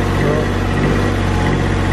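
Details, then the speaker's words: Car up on ramps on a chilly day, idling and given a little rev before repair; raspy, hissy puffing over the low drone as exhaust gas squirts out at a holed exhaust flange gasket and underneath. "a us give it a little Rev squirting out everywhere those underneath too but I guess we're gonna start with"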